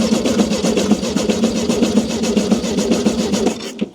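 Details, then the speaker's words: 1971 VW Beetle barn find, long-sitting, points sparking, fed from a fuel bottle, first start attempt before choke and starter fluid: starter churns about two and a half pulses a second for nearly four seconds without firing; cranks, no start. "With this car sitting for a long time, it's going to be really hard to start it for the very first time."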